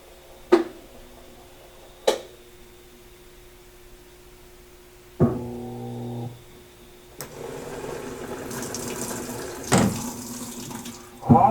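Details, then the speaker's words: Washing machine solenoid valve shuts water off abruptly under high water pressure, causing backflow and water hammer: loud sharp thuds bang through household pipes, heard upstairs too, with bursts of running water between; water hammer arrestor later fitted fixed it. "ウォーターハンマー現象って言って、よくあることなんですけど、水圧が高い場合に洗濯機ここにですね、電磁弁といって水を出したら止めたりするんですけど、止める時にパッと止めますから、その反動で水がこう逆流してこんな中で振動するんですよ。"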